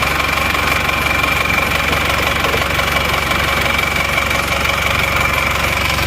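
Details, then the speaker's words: Panther LV Adventure diesel at idle, owner wants it smoother: loud, busy idle with harsh, uneven clatter, rougher than other Panthers; cause unclear, suspected to need teardown and inspection of internals; rough idle. "ini memang suaranya agak suara kelek gitu ya Jadi kurang halus memang saya mesin kurang halus"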